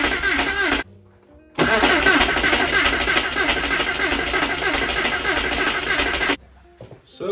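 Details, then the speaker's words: Flood-damaged Porsche 968, first crank after rebuild with the fuel relay pulled to prime oil: steady cranking at about three turns a second, even, no scrapes or clunks; normal cranking, no abnormal noises. "so good I'm not hearing too many scary sounds"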